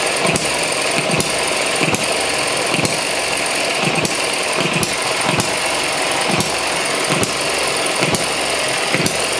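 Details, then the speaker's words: ET6 model hit-and-miss engine, running loose on the bench: sharp firing pops evenly about every 0.8 seconds over steady mechanical clatter, governor working; normal hit-and-miss running. "now you can see all of the uh the governor working now it's jumping off the bench definitely needs to be held down a bit more secure and there she runs"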